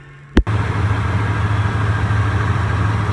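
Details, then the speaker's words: Monte Carlo V8 after replacing broken valve springs, reassembled: one click then deep smooth steady idle, no ticking or misfire; oil pressure and temperature good, drives well though smokes a little more than owner would like; normal idle. "she's good. Back together, running. Oil pressure was good, temp was good."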